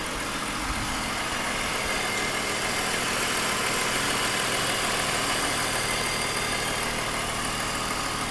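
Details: 2001 BMW 530i M Sport (E39) at idle: busy, hissy top end with uneven ticking running through it; newly developed abnormal engine noise, cause still being investigated.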